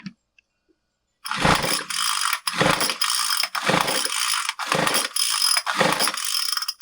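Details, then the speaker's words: Craftsman WS215 string trimmer (MTD-built two-stroke), fuel poured into carburetor and choked: about six pull-cord cranks with no pop; cranks but no start despite spark, spark plug still dry. "Nothing. Didn't even pop. We know we had spark. We're going to look at this plug again and see if it's wet or dry."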